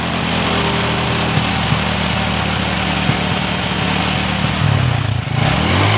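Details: Honda Supra 125 carburetted motorcycle that had been hesitating as if short of fuel: after the flooding carb's float needle was shimmed and the air screw adjusted, it idles evenly and revs cleanly on a quick blip without stumbling.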